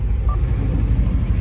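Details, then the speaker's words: 2015 Subaru WRX turbo at idle on start-up: low, lumpy idle with uneven exhaust thumps and a slight shake; slight misfire, traced to cylinder 3. "You can see is a slightly misfire and I recheck it is a number three engine is just a shake a little bit."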